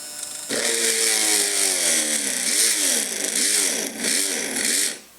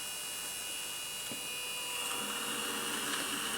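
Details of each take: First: Innocraftsman mini drill press drilling metal into an existing small pilot hole: high motor whine dips and recovers over and over as the bit bites; the motor bogs and lacks the power for heavier material. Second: Innocraftsman mini drill press drilling plastic: steady high motor whine with an even pitch, no chatter or bogging; it cuts a clean hole with no chipping.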